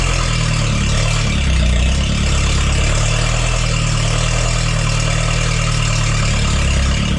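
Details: Propane forklift engine after replacing the bad spark plug: even, steady low note with no stumbles or dropped beats, firing cleanly on all cylinders; misfire fixed.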